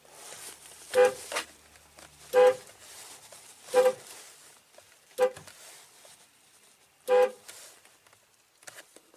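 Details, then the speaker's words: 2004–2008 Ford F-150 horn pad refitted after an attempted fix for the horn honking continuously by itself: five short, clean toots sounding only when pressed; the corners of the pad trigger it but the middle does not. "because the same pressure in the middle does not cause it to honk but on the corners it definitely does"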